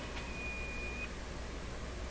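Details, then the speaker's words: Nordmende Caruso console radio during FM alignment, signal generator set to 10.7 MHz while the meter fails to react: a single thin high whistle of about a second over a low hum; weird sound of unexplained cause. "well is that little i don't know if you heard that or not some really weird sound came out"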